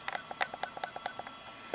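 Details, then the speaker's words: 1988 Interphase 202 handheld marine VHF radio powered from a Motorola bag phone battery. A quick string of about five sharp high chirps as the channel up/down buttons are pressed. Normal key press beep. "We can press the channel up down button. The radio makes a beep."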